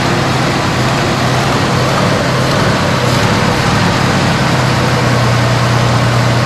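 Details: 1973 Dodge Dart Swinger, 225 slant six, first start after 29 years in a barn: low steady hum with an even, unbroken rhythm and no stumbles or knocks; settles into a smooth, healthy idle on fuel fed to the carburetor.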